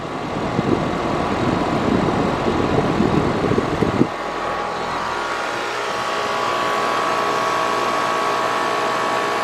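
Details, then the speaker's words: Carrier AC condenser that was not running, tech expected a bad capacitor, rewired with hard-start to the contactor: a rough rustle fades into a steady, even hum with a faint high tone; temperature reading of 89, expected to reach 109; normal running. "Alright folks, now let's fire it up. See if we can get a better temperature differential."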